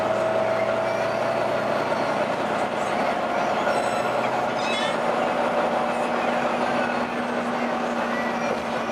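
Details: Howling noise while driving on a Volvo B9TL East Lancs Olympus bus (YJ57 BEO) in service, filmed February 2014: a steady mid-pitched howl over running and road noise holds its pitch throughout, source not pinned down.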